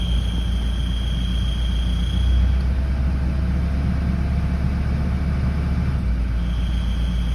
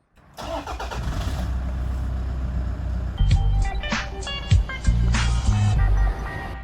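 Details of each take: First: Toyota Land Cruiser Prado 120, 1KD-FTV 3.0L diesel, after a cold start: a thin, steady high whistle comes and goes over the idle. Cause is a slight exhaust gasket leak; fixed by replacing the gasket. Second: Toyota Land Cruiser Prado 120 with a 1KD-FTV 3.0 L diesel, idling after exhaust gasket replacement with bolts torqued to 43 Nm: steady, even diesel clatter with no whistle or squeal, so the exhaust leak is fixed and the idle is normal.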